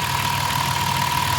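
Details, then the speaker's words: Van engine after many oil and filter changes, idling. A fast, light, even ticking from the fuel injectors, with some remaining drivetrain noise; normal idle with injector tick. "it's finally starting to sound like a normal engine crazy [Applause] I mean still a little bit of out train noise but way better than it was most of that noise you hear is the fuel injectors"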